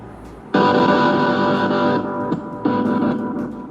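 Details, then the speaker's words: Suhr Strat copy electric guitar, set to float half a step up after fret leveling: an amplified chord cuts in and out abruptly with crackling from a faulty output jack, sometimes no sound at all. "The jack is crackling, so just let you hear it."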